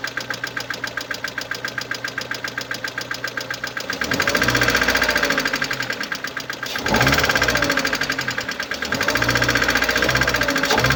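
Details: 2011 Mercedes-Benz A160 W169, 1.5 L M266E15 petrol, 70 kW, 97,955 km. Steady fast ticking of about four per second over a smooth idle, continuing as revs rise, from a defective hydraulic lifter.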